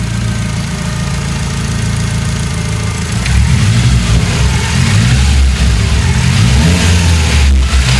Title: SR20DET without exhaust leaks